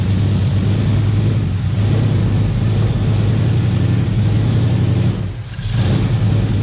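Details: 1971 Plymouth Valiant Scamp V8, first run after 16 years parked: deep even pull with one smooth rev dip and recovery, no knocks or bangs; no heavy smoke or big leaks; normal running.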